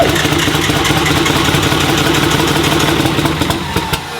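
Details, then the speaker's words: 4-door Nissan R32 Skyline, engine built six years ago, first run, no exhaust or intercooler fitted: loud, ragged, uneven bark with rough pulsing and crackle, engine running very roughly, cause unclear. "so hopefully it sounds better than that because uh that is a horrible sound"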